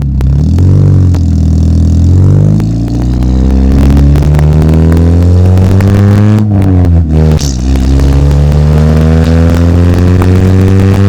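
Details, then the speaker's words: Dodge Neon after welding in a new exhaust with no muffler, mic placed at the exhaust: strong, clean rev rising and falling with a deep, throaty low note and slight raspy edge; sounds much better, modified exhaust tone. "well I'm happy with that sounds a lot better now"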